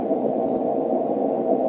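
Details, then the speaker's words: 160 m receive antenna station: flat rushing hiss with no signal rises when the rotators are plugged into power and goes away when unplugged; common-mode noise on the rotator cable, cured by clip-on toroid chokes. "I'm going to plug them all in and as I plug them in to the power cord if I can find the hole all of a sudden we hear the noise go [Music] up you can see the noise now I'm going to unplug it the noise goes [Music] away"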